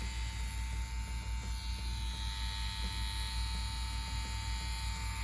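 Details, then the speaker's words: CNC Q1 tattoo machine at 7.2–7.5 volts on a standard power supply: constant low hum with a fine steady buzz and even pitch, no rattles or surging; sounds great and smooth. "The machine sounds great. It sounds smooth."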